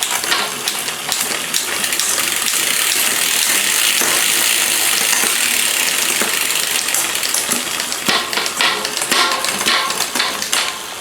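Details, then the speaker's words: Liv road bike during overhaul, rear derailleur being adjusted via barrel adjuster: bright uneven chain clatter and ticking shifting down the cassette because the gear cable still needs more tension. "Needs a little bit more. You can hear how noisy that is coming down the block. That's cuz it does need a little bit more tension."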